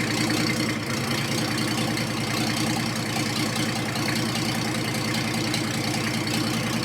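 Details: Diesel in a 1954 Ford F600 on a 1995 Toyota Coaster bus chassis, started to draw fuel through with no exhaust fitted: loud, open, rapid clatter at an even, steady idle.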